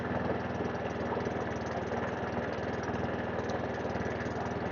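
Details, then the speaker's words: Webb WER41SP walk-behind mower, sold as no-spark; with choke off it runs as a steady, even single-cylinder putter at constant speed, no hunting or surging, and the power drive works. "so now it's not now it's not um hung surging power drive works they're not bad little mower not bad mower at all quite happy with that"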